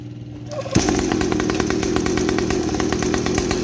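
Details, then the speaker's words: Mini 50 cc two-stroke trail bike, microphone about 40 cm from the exhaust, before silencer modification: starts and settles into a fast, crackly, raspy buzz; exhaust very loud and barely silenced. "Nah itu ya suaranya kencang banget Nah nanti kita bongkar dulu baru nanti kita akalin dan kita dengar suaranya setelah diakalin"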